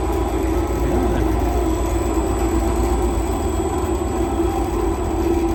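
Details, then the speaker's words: Empty honey extractor on a new wheeled stand, turned up past 80% speed with no honey or frames: steady low rumble with an even drone and no knocking or wobble beat. It runs smoothly and the stand shows no movement. "The extractor is in place in the honey house. It seems to be working absolutely as I thought it might do."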